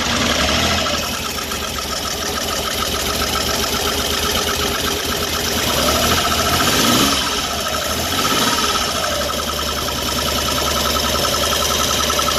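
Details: 1974 Triumph Trident triple restarted after a loose carburettor banjo fitting was tightened, during primer button work. Fires up with a steady, even beat and blips up and back cleanly; healthy, no miss.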